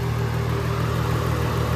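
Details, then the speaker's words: VR6 Jetta with straight pipe, first startup, after about 10 minutes of driving: steady, even idle drone, earlier loud head ticking from dry hydraulic lifters gone; sounds healthy. "so quiet now. It sounds perfect."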